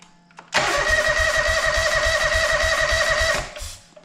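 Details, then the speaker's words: John Deere 425 mower after cleaning and repairs, new fuel line, fuel filter and coolant hose, first start in months: steady cranking about 3.5 beats per second with a few weak catches, won't run; fuel starvation. "cranks it's wanting to run probably run a lot better if i didn't have this cap on here oops i better correct that"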